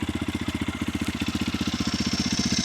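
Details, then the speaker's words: Yamaha YZ450FX dual sport single in neutral, just fitted with Rekluse Radius CX auto clutch, fresh oil and coolant, rebuilt water pump (not leaking): steady even thumping idle about ten pulses a second, no knock or rattle; healthy. "But I don't think it doesn't sound too much different than stock, honestly. But I can't 100% tell."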